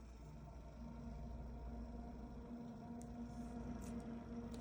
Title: Noctua NF-A9X14 Chromax Grinding Noise